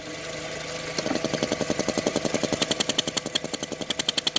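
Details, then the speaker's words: 2003 VW Beetle 2.0L AVH with P0456 EVAP small leak code, warm at 88 °C, fan running, purge valve found unmounted: steady idle with crisp, even ticking about three times a second as the purge valve cycles; working normally. "I don't know if you can hear that, but yeah, this valve seems to be working fine."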